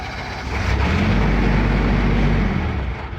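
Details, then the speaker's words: Military diesel generator that needs 20 psi oil pressure to keep running: fires and runs about two seconds, then winds down and dies because the prime/run switch was released too early, tripping the low oil pressure shutdown. "I think I let go of it too early. We have low oil pressure, so we have one of the two. That one's easy to fix."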